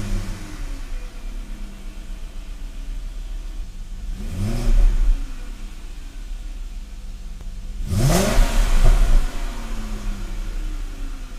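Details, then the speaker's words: BMW 535ia after engine swap and gearbox refill, test with silencer refitted: engine rises and falls smoothly through two revving pulls with steady drone between, perfectly stable idle, no misfire or hesitation; gearbox also faultless. "ralentis et d'une stabilité absolument parfait tel moteur fonctionne sans hésitation avec les performances qu'on est en droit de temps la boîte est également irréprochable"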